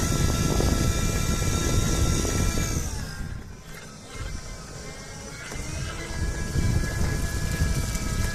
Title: Meyra Ichair basic weird noise from motor (v2)